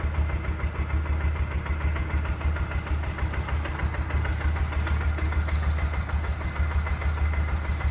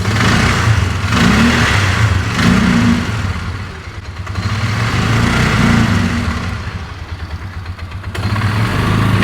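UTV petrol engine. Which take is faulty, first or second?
second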